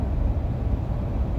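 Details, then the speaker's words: 2020 Toyota Highlander Platinum, about 2,300 miles, at 75 mph on the highway, in-cabin: steady deep wind roar with no distinct whistle, still present after the dealer visit fixed nothing; heavy wind noise, source unknown. "driving right now 75 miles per hour driving from del rio back to eagle pass wind noise is still there uh it's bad"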